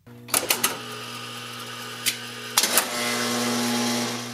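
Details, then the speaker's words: 1970 Wurlitzer 3400 series jukebox: selection accumulator makes a quick burst of clicks, a pause, more clicks, then steady whirring buzz as the carousel spins; normal selection cycle, buttons stay depressed until sound stops. "The Selection Accumulator is what made the sound you heard before everything got started. This one."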